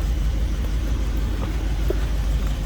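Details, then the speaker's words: 1969 Ford Mustang Mach 1 R-code 428 V8 idling after a cold start, warming up: deep, steady rumble with even beat, no ticks or knocks; healthy normal idle. "rumble coming out of that 428. Nothing over the top. Good sounding"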